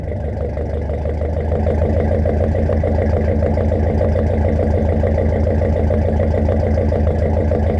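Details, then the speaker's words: 1969 Mercury Monterey at its first start in 16 years, carburetor fed and pulling fuel from the tank: steady, even idle at about three and a half beats per second, no knocks or misses; normal idle. "this is freaking awesome i'm so happy to hear that this engine runs"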